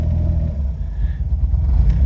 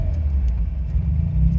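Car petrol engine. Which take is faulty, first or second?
first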